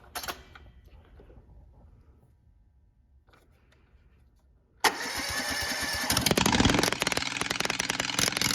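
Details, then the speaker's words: Honda engine repowering a Case 1816 skid loader: after a quiet stretch it catches and settles into a loud, harsh, fast-firing run; very noisy, cause unclear. "I can start it up for you. It's pretty freaking loud."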